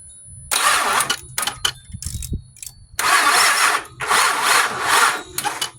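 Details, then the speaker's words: Pontiac Grand Prix GXP, abandoned car's first start attempt after priming fuel pump, battery on small battery tender: three short sluggish starter bursts, no catch; weak cranking, battery suspected undercharged. "I guess that charger is not doing a very good job of charging"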